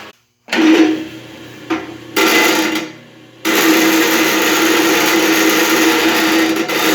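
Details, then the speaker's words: Believed 1960s-70s Black & Decker ten-inch bench grinder, 220 V 6.5 A: steady motor hum, then gritty scraping rush as work is pushed as hard as possible, speed never dropping; healthy, powerful under load. "i'm just pushing as hard as i possibly can with this and it doesn't even slow down so tons of power"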